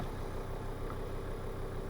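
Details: Volvo V50 D5 SE, Euro 4 2.4 L five-cylinder diesel with DPF, during EGR valve repair (limp mode, codes 4450, 44D0): smooth, even idle with steady low rumble and no knocks or misses; engine sounds healthy.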